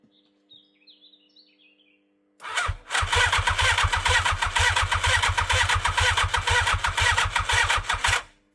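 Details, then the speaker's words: 1987 superbike abandoned 16 years, 8 outside, two squirts into each cylinder with butterflies open: starter churns in an even rapid rhythm for about five seconds, never firing; cranks, won't start. Owner suspects no spark. "Probably no spark. Probably a good thing."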